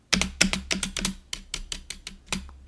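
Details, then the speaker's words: GoPolar TKL keyboard before modding: repeated sharp space bar clacks with a rattly, ringing tail on each press — space bar stabilizer rattle. "so you can hear this rattle so I'm going to try fix this stabilizer"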